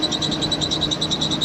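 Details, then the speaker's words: 1988 Jeep Comanche Pioneer 4x4, 4.0L inline-six, jump-started after sitting for years: high, sharp chirps about seven times a second over a quiet idle; belt squeak, owner unsure of the source but thinks it may come from the AC compressor. "I've never had a felt squeaking where I put that on and didn't stop the belt sweep that not work sure exactly word it's coming from out like it's come from the EC compressor"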